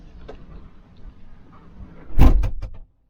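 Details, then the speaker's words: Kawasaki Ridge XR side-by-side, fully enclosed cab with HVAC, inside cab, pre-production unit: door thud then quick papery flutter as trapped air escapes; cab pressure relief flap working normally, not a loose part. "every time I Clos the door I kept hearing that noise I'm thinking man is something loose"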